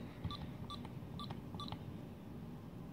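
Four short, high beeps about half a second apart as the code is keyed in; normal keypress confirmation from the security keypad.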